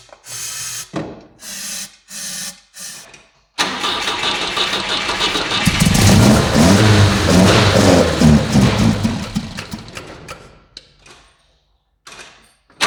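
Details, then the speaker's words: Volvo 145 carbureted engine after installing new fuel pump to replace leaking one: several short cranking bursts with pauses, even with brake cleaner, before it catches and revs unevenly; hard starting after sitting. "as you saw i had a small difficulties to started the engine i have had the same kind of problem with these carburetors before so after a small break it's a little bit difficult to start even with the brake cleaner"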